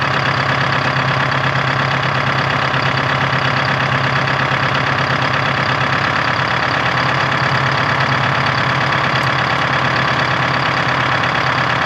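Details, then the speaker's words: 1976 Ford F250 with Detroit 453T two-stroke diesel, first start after fuel system and tank redone: dense, even drone with steady beat, no misses or knocks; normal healthy idle. "sounds good"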